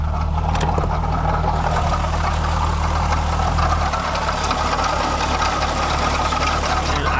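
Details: VR6 wagon at idle, steady low hum with a light, irregular metallic rattle from the engine bay, getting worse; the water pump pulley wobbles, water pump failed; tensioner pulley already replaced without curing the noise.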